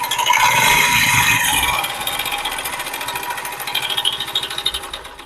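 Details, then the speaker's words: 2019-model motorcycle engine: fast metallic clatter over the running engine, settling as revs drop; worn-out timing chain rattling, replaced with a new timing chain and rollers. "आज हमारे पास 2019 model गाड़ी आई है इसकी timing चैन engine में आवाज है timing चैन आवाज कर रही है"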